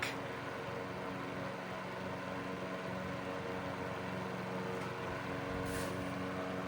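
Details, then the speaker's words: 1941 Gilbert 12-inch fan on low, drawing 0.51 amps: low steady motor hum with soft even whoosh, no strange noises, ticks or rubbing; running smoothly. "It has a really nice sound to it. I really like this fan. I plan to use this fan summer 2025 because this runs really good."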